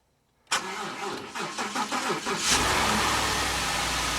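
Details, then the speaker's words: Wrecked 2015 Ford F-150 4WD with 60,000 miles and rear-end damage, first start after a battery charge: a couple of seconds of cranking, then it catches cleanly into a smooth, steady idle with no rattle; normal start. "sounds good no rattle 60,000 mile truck"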